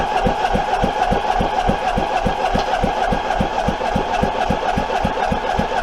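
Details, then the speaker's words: Troy-Bilt 23 hp V-twin, abandoned: sharp evenly spaced pops, three or four a second; flywheel out of time, spinning on the crank from a missing woodruff key, so spark came at the wrong time. "that's why we weren't getting spark when we were supposed to and that's why we had a kickback because our flywheel was out of time no woodruff key and that thing was spinning around on the crank some of the time"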